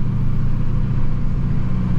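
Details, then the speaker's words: 2007 GMC Sierra LBZ Duramax diesel with a new pre-lubed turbo, idling gently about 10 to 15 minutes after start to warm the oil and break in the turbo; low, smooth diesel rumble at an even idle with no whistle or rattle, normal. "Also, I do like to let my engine sit and idle for a while anyway after you put a new turbo on it. You don't really want to get onto them real hard."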